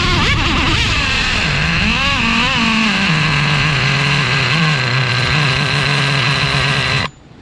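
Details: Traxxas Revo 3.3 nitro engine with new THS Racing tuned pipe: screams and stutters at high revs with wavering pitch; no exhaust leaks seen.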